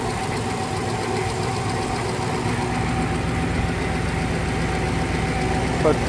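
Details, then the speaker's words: 1971 Rover 3500S P6 V8 at idle after installing a new Lucas 11AC alternator (old pulley bearing seized): even idle with no whine, squeal or bearing rumble; alternator, pulley and belt running quiet, charging. "no noise or anything. Everything sounds good. The pulley is working very well."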